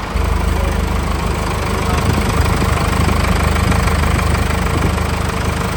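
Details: 1984 Chevy K5 Blazer, ex-military CUCV, with Cummins 4BT diesel just fitted with compound turbos and a stainless exhaust, first start after install: loud, steady diesel clatter at idle, even regular beat, no misses or odd knocks; running normally.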